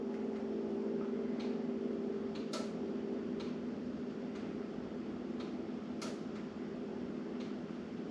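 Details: Sligh grandfather clock bought secondhand; sharp light ticks at even pendulum pace over faint room hum: clock running normally.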